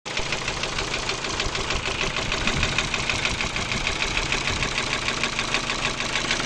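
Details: Ford Focus 2, 1.6 litre 115 hp, idling: steady idle with a sharp fairly regular knock about three times a second over the engine note; engine knock at idle, cause unknown.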